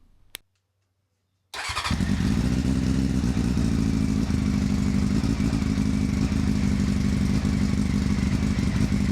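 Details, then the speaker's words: Honda CBR600 F3 motorcycle started with fuel tank refitted: quick idle with light regular ticking or tapping on top from a loose exhaust joint that needs tightening. "The exhaust needs tightening up, so there's a little bit of ticking or tapping there, which will be sorted."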